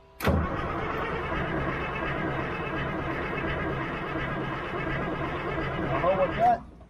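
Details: Old 6x6 army truck diesel being bled of air in the fuel system, oil pressure present: starter cranks evenly for about six seconds with no firing, then stops; cranks but won't start, air still in injector lines suspected.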